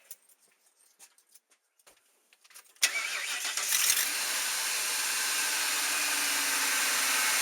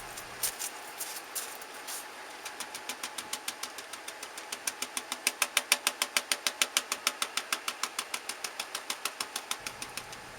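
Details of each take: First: Ford Triton V8 truck after replacing spark plugs and coil packs: few light clicks, then starts at once into a steady, even idle; vibration and exhaust popping gone. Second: Ford E250 van Triton V8 idling, recorded at the exhaust before repair: sharp regular popping about three a second with engine vibration from a failed ignition coil misfire; replacing the coil pack made it smooth.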